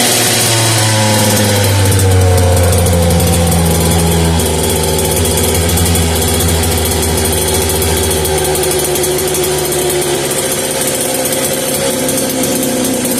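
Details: Homelite 330 junkyard chainsaw after rebuild, restarted, grumpy to start: rough, buzzy two-stroke idle with a short blip early, then an even drone; running.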